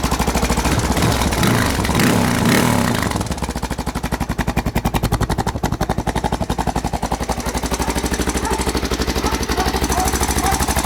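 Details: 1992 Honda XR600R single-cylinder: after a brief rev, settles into idle with a sharp, fast, regular clatter on every beat; timing chain noise suspected, not confirmed.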